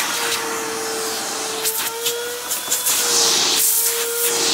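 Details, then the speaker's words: Eureka The Boss Smart Vac 4870 type GZ upright vacuum, new belt fitted, using hose tools: steady even motor hum with strong airy rush through the hose, a few handling clicks; very powerful, normal suction. "about the suction which speaking of suction this thing is actually very powerful"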